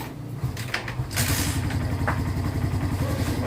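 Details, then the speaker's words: A 2022 Barako motorcycle had been hard to start after sitting a month; the spark plug was replaced and wiring was taped. Here it is quiet, then catches on the first electric-start click and settles into an even, steady single-cylinder idle, running healthy. "kaya yun testing na kung maganda na yung andar at one click na"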